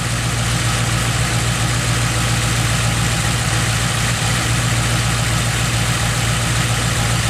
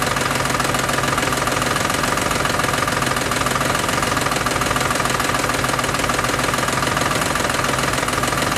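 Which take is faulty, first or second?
second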